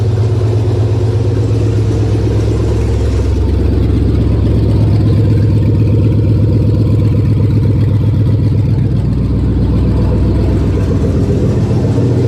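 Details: 1999 Chevy 5.3 V8 4WD junk donor pickup, run to test the engine: a steady low V8 rumble with a firm, even beat that picks up smoothly as it revs. The engine runs healthy.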